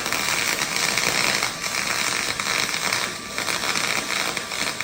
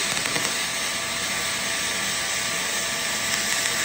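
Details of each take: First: HTP MIG 2000 welding aluminum at the door-chart settings. Steady crackling arc hiss with occasional irregular pops, judged to need about 0.3 to 0.5 more volts: MIG arc popping from low voltage. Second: HTP MIG 2000 spool gun on a 1/4 in aluminum coupon with 0.035 4043 wire, second run at the same settings as before. Steady, even hiss holding one level without pops or sputter: a smooth aluminum MIG arc.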